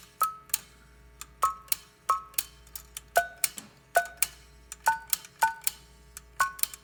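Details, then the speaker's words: Western Electric prototype 10-button 302-style push-button phone: about a dozen sharp button clicks, each with only a faint short beep. Keypad tone very weak; failed component or original behaviour unknown. "I will press the buttons and you will hear the tone. The tone is very weak, so we don't know the status of that, if there's a failed component in the phone or if this is how it operated in its day."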